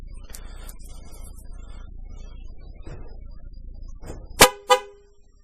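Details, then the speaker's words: 2002 Ford Explorer at first start-up after a timing chain job, in a garage: two sharp horn blasts about a third of a second apart. The alarm triggers and sounds properly. "so the alarm works good sign"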